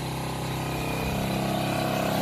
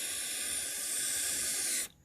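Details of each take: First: 1985 Honda FourTrax TRX250 single, first start, throttle cable not connected and float leaking: drones and creeps upward in speed, never settling to idle; no throttle control. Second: 1985 Honda Fourtrax TRX250 carburetor float needle seat blown through by mouth: steady airy hiss as air passes freely; passage is clear.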